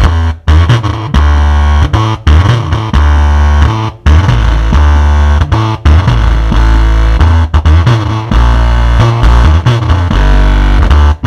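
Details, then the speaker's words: Sansui 10-inch active car subwoofer playing music: heavy bass notes break up into a rough, fuzzy rattle on every hit; the voice coil is rubbing the metal and not moving straight, so the sound distorts. "Oh ini terdengar geber ya namun jika diteliti yah diteliti suaranya itu ya Oh kedengaran suaranya itu ada suara koilnya yang nyenggol"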